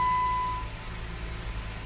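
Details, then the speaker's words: 2015 Jeep Wrangler Unlimited, new spark plugs, slow coolant loss with suspected head gasket leak into cylinder 3: short beep, then quiet, steady low hum with no misses or knocks; idles smoothly, no engine codes. "H be running fine no engine codes no codes at all right"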